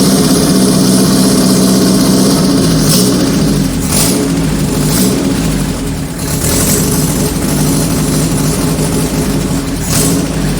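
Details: 1978 G12/612 engine, sat for decades, being fired up: revs surge and sag unevenly and never settle into a steady idle because the electric idle valve doesn't work.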